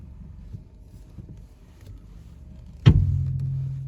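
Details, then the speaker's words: Seat Ibiza FR turning the steering wheel: low rumble, heavy creaking and one heavy metallic clunk each way, fading into a deep drone; earlier wheel-bearing fixes didn't cure it, it was a snapped suspension spring. "there it's a heavy creaking noise and if we turn it back you'll hear it again there"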